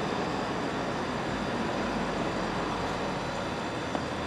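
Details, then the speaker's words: Vintage Westinghouse 30-pint dehumidifier rescued from dumpster, first test, cooling working; on low fan speed, very quiet, soft steady airy whoosh with faint low hum, no rattles or surging: normal low fan speed operation. "that's really quiet quiet yeah oh yeah it works perfectly yeah"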